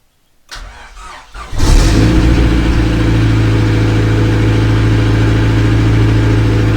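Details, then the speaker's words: Daihatsu Charade D15 turbo on a newly uploaded Neptune RTP base map, cold first start: cranks briefly, catches cleanly and the idle air control valve raises it to a steady, even ~1400 rpm that will drop as it warms; normal fast idle. "Alright, so you hear the car idle up. That's idle air control. You hear the car how it's idling at around 1400 RPM now."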